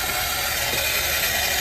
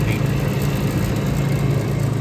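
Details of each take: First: Hoshizaki ice machine throwing a 1-beep error and stopping ice production, in ice mode after drain cycle: harsh, continuous hiss of water rushing in at full force without easing; unusually aggressive reservoir fill. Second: Hoshizaki ice machine that had been stopping on a 1-beep high-pressure error, running after rewiring. Even low hum with a soft steady pulse and no trips or cut-outs. Running normally.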